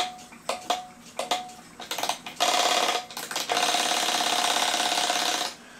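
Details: Seth Thomas kitchen/parlor clock dated 1918 by its back code, with the alarm released by a stiff lever: a few short buzzing bursts, then a fast, even rattling whirr for about three seconds as the alarm train runs freely with the hammer held away from the bell.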